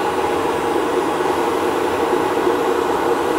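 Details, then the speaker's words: Bobcat T76 R Series loader, newly installed aspiration kit blower for air filter life, ignition on: loud, steady, even whoosh, no surging, rattles or pitch changes; weak but definite vacuum; blower running normally. "yeah so you can hear that running I mean it's a little loud but that's pretty cool man this is a really cool kit"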